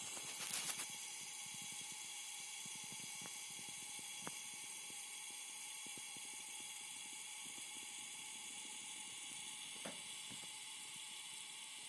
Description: The main problem is a strong HISSING NOISE. This problem does not disappear when the load is connected to the output terminals of the PSU.